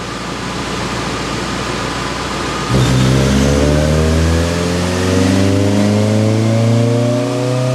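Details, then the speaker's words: Honda Civic Si EP3 with JDM K24A2 swap on dyno, 91 octane tune, after clutch break-in: throttle snaps open and note climbs smoothly to redline, no misfire or detonation; healthy pull, safe air-fuel ratio. "But it sounds pretty darn good. Let's go ahead and take it all the way to Redline."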